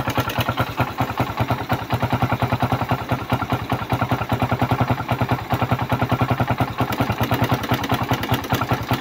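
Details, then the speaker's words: Suzuki Raider 150 single-cylinder engine idling, stethoscope on the head: harsh rapid metallic clatter, also heard at the crankcase; valve train and piston worn from oil starvation (engine ran dry of oil). "So maingay din dito sa head dito sa may piston bor. So maingay din sa may piston ball. So meaning to see yung bulve naektuhan ng pagkatuyo ng langis."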